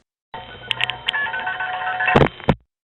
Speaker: that was the sound of one of the 107 register senders in vzy tandem 1 a Gateway office